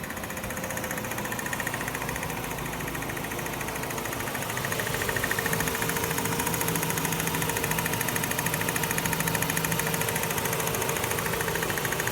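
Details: 2006 Mazda RX-8 rotary idling: constant, fast, even clicking over the low hum for about a week, still present right after an oil change; low oil, SSV or compression suspected, not confirmed.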